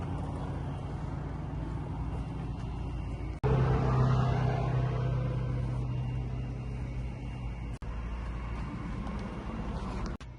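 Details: 1997 Ford Mustang GT 4.6 V8 idling with a deep, uneven rumble and a repeating knock about four per second; loud engine knocking noise, owner suspects the AC compressor, cause not confirmed.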